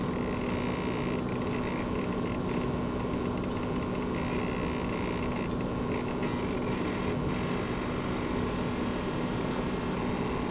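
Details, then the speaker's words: Launch-day PS5 running F1 24 in 120fps performance mode: faint steady electrical buzz above soft fan hiss under load; coil whine, louder in pause menu, gone on home screen. "so let's just check it out when we start a game again you can probably hear that electric buzzing coil wine noise"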